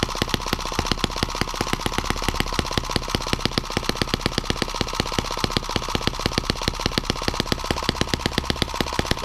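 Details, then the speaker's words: New M17B small engine on first bench run on 94-octane ethanol-free 40:1 fuel: rapid popping exhaust, two to three beats a second, slightly irregular and hunting, jumping around at higher rpm and reluctant to idle down; the rocker arms still have play, cause not stated. "noisy little thing likes to jump around a lot higher rpm"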